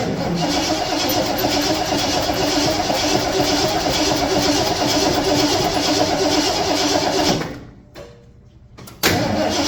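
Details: 1974 Ford F-250 farm truck with a newly fitted battery: steady starter churning at about four beats a second that never catches, a pause, then more cranking; crank no start. Said to be tuned up, so lack of fuel is suspected but unconfirmed.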